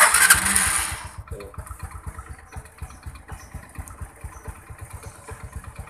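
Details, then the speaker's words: Supra X125 no-start (new battery fitted); with the ground circuit bridged, quick crank catches immediately and settles into an even single-cylinder idle about 3.5 pulses per second; fault traced to the starter button, to be replaced. "Setelah terhubung, mesin langsung menyala, bos."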